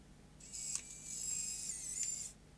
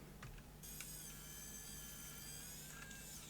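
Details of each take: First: Sony CCD-TR55 Video8 camcorder, loading motor powered externally after tape extraction: about two seconds of thin high whirring with small ticks as the deck laces back up evenly; loading works normally. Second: Dead Sony CCD-TR55 Video8 camcorder, loading motor driven directly from about 3 V supply to extract a stuck tape: thin high whirr runs about two seconds, stops, restarts briefly; motor turns slowly, reaching the unlaced position.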